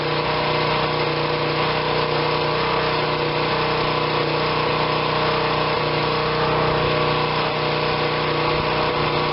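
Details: Generac 2500 psi pressure washer, small engine, bought not running, choke on, oil slightly overfilled with possible water in it: steady, even drone with no hunting or surging; holds speed cleanly and sounds healthy.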